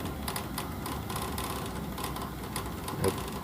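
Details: Navien boiler knocking: over a low running hum come repeated sharp ticks and knocks at uneven spacing, with the outlet pipe shaking; owner suspects an inlet valve, cause unknown.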